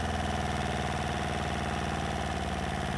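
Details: Replacement inboard diesel for an Etap 30 sailboat, run in the workshop with the exhaust off, cooling water from a separate can, started after bleeding: steady, even diesel clatter with a regular beat, no misses or knocks; normal idle.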